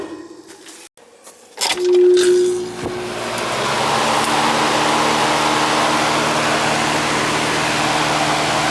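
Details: Trane central AC unit over 50 years old, after refitting cover; contactor clunks, compressor hums in, fan settles into steady whoosh with low hum; normal running.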